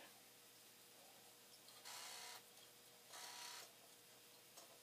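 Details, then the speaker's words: Commodore 1541 floppy drive after read/write head cleaning, spinning through a long check-disk run: quiet spinning drive and faint hum with two short rasping bursts. Odd intermittent noises, cause unclear. "oh that was a funny noise so it's a funny noise anyway we'll let this go we'll see what happens until"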